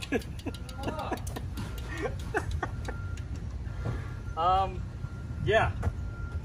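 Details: Road bike with worn, heavily used disc brakes after Finish Line cleaner on rotors, soaked and sanded pads, walk-by: short, sharp high-pitched squeals in bursts when braking; treatment failed, pads possibly too far gone.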